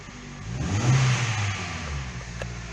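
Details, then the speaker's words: Hyundai i30 1.6 16v, 140,000 km, after a faulty timing chain tensioner caused a jumped chain and the engine was reassembled: clean rev blip rising and falling smoothly, no rattle or slap at the front; runs very nicely. "No i teraz musimy się z właścicielem auta zastanowić czy jest sens właśnie wyrzucać ten cały zestaw który ktoś tutaj włożył i ma teraz chodzi bardzo ładnie czy po prostu wymieniamy całość"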